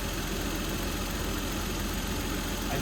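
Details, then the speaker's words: 1992 Toyota Supra MK3 turbo, automatic, about 300K, revived after sitting over 20 years. The idle beat wavers and stumbles; rough idle. Owner suspects low fuel, since the tank had been empty and only a little was added. "I mean it's stumbling right now but it could be because there's not enough gas in the"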